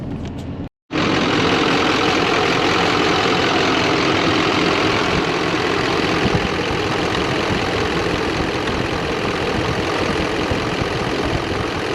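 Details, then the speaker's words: 2015 Chevy Silverado 3500HD Duramax LML diesel, 118k miles, after CP4 failure and CP3 conversion with fuel system cleaned or replaced: steady, even clatter, no misses or knocks, no codes; running cleanly. "but thing sounds good started up perfect this morning no codes have came back"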